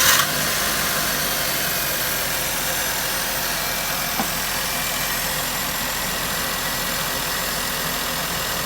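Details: Maruti Suzuki K-series car engine after coil and spark plug work for a misfire: steady, even idle hum with bright top end and no stumble or dropouts; running smoothly again.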